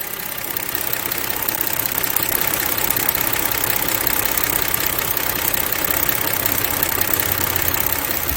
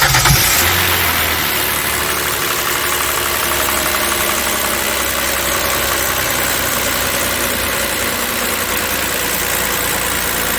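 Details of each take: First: Kia Opirus GH330 V6, engine cover off, after engine oil and coolant service for a creaking start noise: even, quiet idle with light steady valve tick and no creak; quieter than before, normal. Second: Kia Opirus GH330 with "kkirrik" noise at startup, low power and poor fuel economy, oil changed only every 1–1.5 years: idle before oil service, busy even clatter over the hum, louder than healthy; noisy engine.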